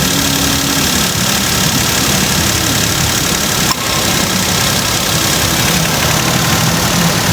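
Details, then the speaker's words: Suzuki Celerio after AC compressor conversion (old compressor had noise from inside): smooth, even idle with aircon engaged, no knocking or rattling from the compressor; sounds healthy, normal idle with AC on. "Ayan mga boss, wala nang ingay boss. Yung dati mga boss, para tong may naggagaling dyan sa loob ng compressor, yung luma nila na compressor."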